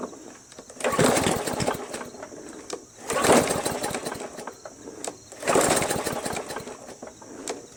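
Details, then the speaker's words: MTD Yard Machines 20" push mower with a Briggs 300E, found roadside after sitting long; primed. Three pull-starts give brief sputtering gurgles that die out, first suspected as timing or a sheared key. Cause found: water in the tank and carb bowl. "that's why there's water in tank that's why the gurgling I recognize the gurgling its water in the tank that's water h2o"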